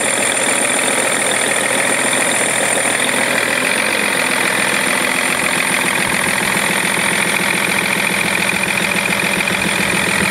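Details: BMW E46 330d diesel at idle: fast, slightly uneven metallic ticking about three to four per second over the steady idle; engine clicking noise, cause not pinned down.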